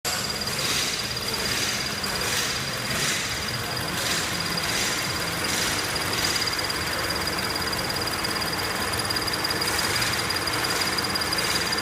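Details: Scion FR-S fully warmed up and idling, with a rapid high-pitched chirp or squeak about 1.5 times per second from the high-pressure fuel pump assembly (TSB 0023-12).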